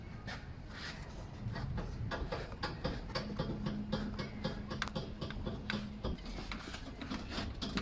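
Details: Bounce test pushing on the front corner of a vehicle, after a knock was heard on a road test: faint, irregular light clunks with each push.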